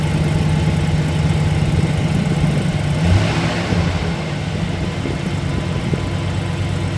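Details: 2008 Chevrolet Silverado: rough idle with a light rapid tick riding over the engine, then a short rev blip; cause unclear, either an exhaust leak or knock.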